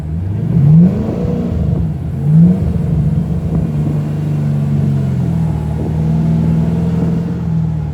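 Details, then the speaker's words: Mustang driving on the road, automatic transmission not grabbing third: uneven, lumpy engine note under load, surging and dropping irregularly; skipping around, misfiring cylinders. "yeah i don't like the way it's skipping around"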